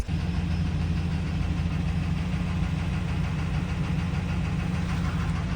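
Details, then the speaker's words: Friend's truck running on its original engine, which has rod knock, heard from inside the cab: a deep rough lumpy idle with an uneven low knocking; it runs but poorly, consistent with a worn rod bearing. "I don't know if you guys can hear that, but as you can see, I'm in Walzer's truck. And like I said, it runs, but it ain't good."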